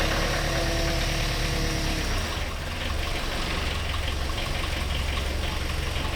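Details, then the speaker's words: Pel Job LS2000 excavator with a Rexroth A10VO28 variable pump, after swapping in a different regulator: when throttled, the diesel drone drops in pitch and turns rough after two seconds, as bad as before. Labouring under hydraulic load, with a faulty pump plunger suspected. "Well, the different regulator unit doesn't seem to fix the issue, so we still have the issue badly enough. If I throttle it up, it's just as bad as it was, so that's not good."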